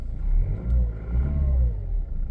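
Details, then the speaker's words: Chrysler PT Cruiser diesel that sat about a year unused: deep, steady diesel clatter and rumble with a couple of light revs and no knocks. Normal diesel running. "wir haben einen chrysler pt cruiser wie man hört ist das kein benziner"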